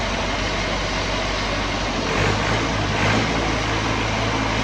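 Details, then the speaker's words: Lincoln welder engine, over 30 years old, after an oil filter service and bleeding air from the fuel system: it fires and settles into a steady, even run with a smooth low drone and no misfire; normal running. "Man, she still purrs like a kitten."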